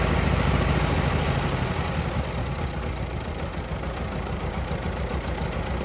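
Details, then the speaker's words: 1940 Minneapolis-Moline RTU tractor after sitting too long, with fresh plugs and fluids: started right away with little throttle and no choke, then a deep, steady low chug about three to four beats a second; normal idle. "Um, didn't have to have much gas. It just started right away."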